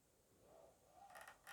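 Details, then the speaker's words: Tronxy X5SA 500 Pro 3D printer: faint whir of a moving axis breaking into raspy scraping bursts as belts rub against the pulleys despite realignment; cause unknown. "that noise comes from the belts they crying against rub against these pulleys here and unfortunately no matter what I did I could not stop them from doing that"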